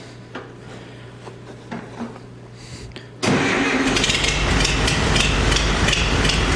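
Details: Farmall 350 diesel tractor after rebuild, block warm but temperature gauge not rising (thermostat missing or bad suspected): cranks, catches, lumpy uneven idle as if a cylinder not firing; cracking No. 1 injector didn't change tone; fires on all four when lugged in 5th.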